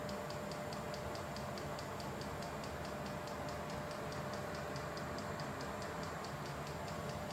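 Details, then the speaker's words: Vevor 8 kW Chinese diesel heater running normally after its startup profile, fan cranked up, drawing around 4–4.5 A: steady fan roar with a light, regular fuel-pump tick about three times a second. "Okay, so we're back running as per normal. So that is the startup profile."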